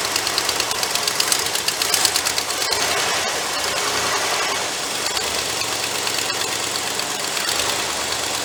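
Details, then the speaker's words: Cobbled-up 390 V8 in the Black Pearl, electric choke suspected faulty: loud, hissy, choppy uneven idle from a vacuum leak at a hole in the back of the carburettor, with heavy blow-by. "now while she's running idle probably not massive vacuum leak on the back of that on the back back here somewhere i got to dive into that"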